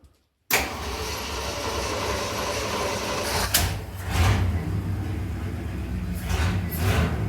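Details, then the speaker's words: 1971 Highboy truck cold start after a carburetor rebuild with the choke spring not installed. It runs rough, surging and sagging, and only idles if the choke is held closed, so the inoperative choke is confirmed as the cause. "So I got it to idle. If you can hold the choke closed, it'll idle. So the choke definitely is the issue."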